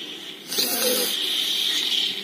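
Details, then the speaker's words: Penn Battle II spinning reel after gear repair and greasing: turning the handle, which feels fairly heavy, gives a dry, raspy rubbing hiss with faint whine, present from the start; suspected bearing or the aerodynamic cover, not confirmed. "bunyi juga gak bisa hilang dari awal sudah ada bunyinya ini antara bearing [Musik] atau cover ini ya yang aerodinamis"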